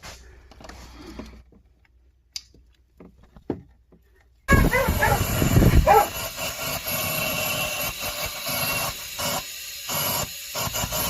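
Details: Leak-down test on a misfiring engine, with compressed air fed into the cylinder through a compression-tester hose with the check valve removed, valves supposedly closed and exhaust sealed. A few knocks, then a loud steady hiss of escaping air shows cylinder leakage.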